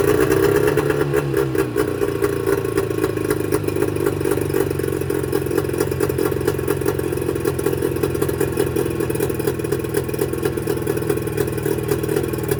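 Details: Mercury 25 HP two-stroke outboard before Boyesen power reed install: uneven, clattery firing with wavering revs that never settle; rough running attributed to the reed valves.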